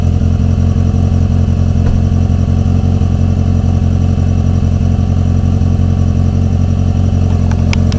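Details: Renault 19 on its first move after engine repair: deep, even engine note holding steady with no knocks, ticks or misses; runs smoothly and healthy.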